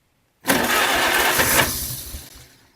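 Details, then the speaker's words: 1947 Farmall Cub tractor, original distributor cap with dielectric grease: starter spins about two seconds with busy churning sound, tries but never catches; crank no-start from poor distributor cap contact. "See, it's uh trying to run, but it just doesn't catch."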